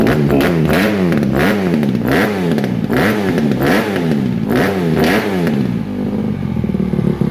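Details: 2007 Honda CRF150RB dirt bike reassembled after buying as a basket case, with water apparently run through it and new stator ordered; single cylinder blipped about every two-thirds of a second, picking up and dropping back evenly; normal revving.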